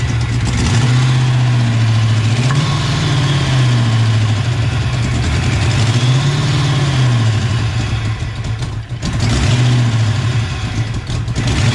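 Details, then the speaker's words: 1988 Ford Mustang GT V8 after Trick Flow top-end kit and mass air conversion, first start, timing being adjusted: lumpy, uneven idle wandering with throttle blips, puffing tick at exhaust; misfire plus exhaust leak around header collector. "very interesting somewhere see we can track down this exhaust leak everything seems tight it's around that around that collector right there"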